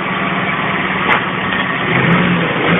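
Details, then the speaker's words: Citroën C3 idling in neutral after replacing the accessory belt and its rollers: steady, even idle hum with no whine or squeal riding over it; accessory drive sounds clean and healthy. "Y como podéis comprobar, ya no suena el chirrido ese."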